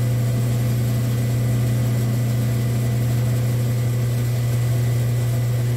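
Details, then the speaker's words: Saw with a repaired auto shut-off, slowly screw-driving the carriage through a cut: steady low hum with an even drone and no knocks, surges or grinding; motor running smoothly and now shutting off on its own. "there it stops without even clicking don't get the satisfaction of the final click but it turns off on its own so it's working again"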